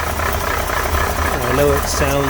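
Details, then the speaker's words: 1968 Corvette with a 1969 350 small-block V8 and 1972 heads, cold start after sitting two weeks, no choke: light uneven valvetrain rattle over a low rumble, with some blue smoke smelling of gas. The owner suspects worn lifters and rocker arms. "Me personally, I think the lifters are worn. I want to put new lifters on it. And rocker arms. But it runs well. It does have a sound, but it's always sounded just like that."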